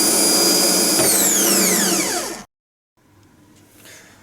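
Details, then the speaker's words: Bench free-spin of a rebuilt Bosch starter motor (BMW 740 M60 / Jaguar X300 type) with new brushes and solenoid: high-pitched whir at full speed, pitch falls smoothly coasting to stop in about a second; healthy. "okay let's make it spin although the old starter wasn't bad at all this one's a bit more"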